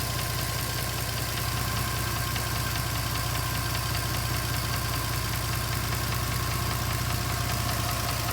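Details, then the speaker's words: 2010 Mercedes-Benz C300 4MATIC petrol engine at idle: steady fast knocking and ticking, both rising with revs, the knock seeming to come from the bottom passenger side of the engine; cause unknown. "The knocking sound sounds like it's coming more from the bottom passenger side of the engine. Not sure exactly what's going on. Both sounds rev with the engine."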